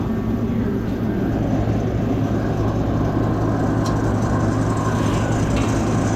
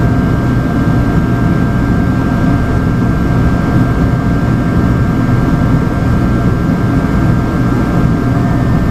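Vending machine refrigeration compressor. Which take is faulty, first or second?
second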